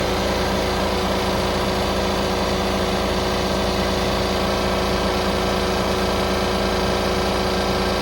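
A diesel idles with a busy, uneven metallic rattle running through it, about once a second, coming from low in the engine bay.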